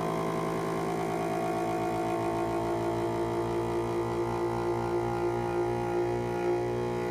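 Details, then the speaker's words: FoodSaver V2490 after washing and wetting the leaking door gaskets as a temporary fix; steady hum climbing then settling as canister draws down, nice tight seal; gasket replacement still planned. "okay nice and tight good seal so that's uh something you can do to get yourself working temporarily is to get get that uh get those seals wet"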